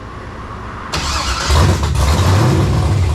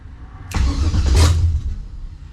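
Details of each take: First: Monte Carlo LS swap on an ACES Jackpot LS EFI system, first startup. Engine catches and settles into a loping, choppy low-beat idle, the healthy sound of a big cam. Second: 1970 Monte Carlo LS swap with new ACES Jackpot LS EFI, initial startup attempt after fuel pump primes. Starter churns about a second with a deep rumble but never catches: crank, no-start.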